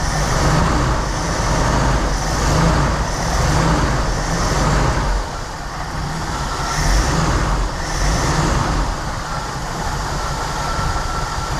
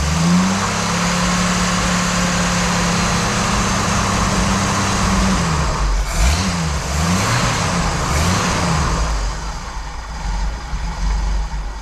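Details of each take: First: Reportedly a 1988 Jeep Wrangler YJ Sahara 4.2 inline-six, idle mixture screws being adjusted from about 18 inHg vacuum: steady, even low rumble with slight lope, no misses or knocks; running pretty nicely. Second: 1988 Jeep Wrangler YJ Sahara 4.2 inline-six with carburetor: after timing set to 11° (spec 9°) and distributor vacuum moved to ported source, revs up cleanly with better throttle response but turns uneven and hunting dropping back, unable to hold idle.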